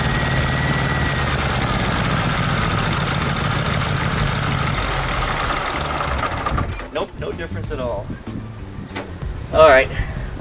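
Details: VW Super Beetle Volksrod air-cooled flat-four on a start attempt, header slightly warm, distributor cap suspected faulty: uneven, lumpy idle for about six seconds, then shutdown. Persistent cylinder misfire.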